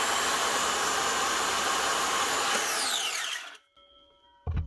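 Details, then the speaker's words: Old Black and Decker HD 1000 circular saw, made in England, after repair with new lead, cleaned sticky switch and new blade: steady high whine holds evenly, then pitch slides smoothly down as motor coasts to a stop; running fine. "a baller this might be old but it still works fine"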